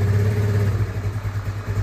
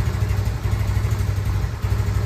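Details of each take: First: Yamaha Nuvo scooter single bored up to 148cc with raised compression and the pilot jet raised from 17.5 to 20; it now starts faster and ticks over at a steady, even low putter with no misfire or hunting, a normal idle. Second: Yamaha Nouvo scooter being bored up to 148cc, carburetor not yet serviced, stale fuel suspected clogging it: uneven, lumpy putter that falters and dies after a few seconds; hard to start, dies when throttled.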